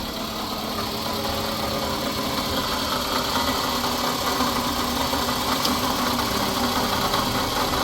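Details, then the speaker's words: 2007 Scion tC, 5-speed manual, idling: rough, gritty grinding hum from the engine accessory side, steady and unchanged, no change when the clutch is pressed; the customer reports clicking and ticking, and the source is not yet identified. "so we definitely got something over there making noise what it is I don't know"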